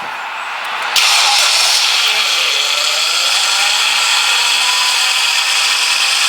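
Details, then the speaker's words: Power steering pump groaning while bleeding a completely empty, refilled system, engine running with steering turned lock to lock; harsh, hissy groan rising as the pump still draws air, expected to quieten as air clears. "left fully locked now all the way fully locked and that noise will eventually get quiet and quieter and eventually go"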